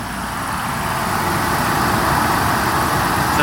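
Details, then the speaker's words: Mercedes 500E W124 AC compressor engaged after sensor replacement and system recharge: steady engine-bay whir with an even hiss and no knocking or squeal. The compressor runs normally, with no bubbles in the sight glass. "it's spinning. AC compressor. As you can see, AC compressor is working. AC is working."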